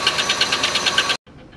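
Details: Oldsmobile Silhouette van, jump-started: sharp high-pitched ticking about nine times a second over a rough, uneven idle; owner first feared a knock, but it was a loose rocker arm bolt causing the noise and misfire.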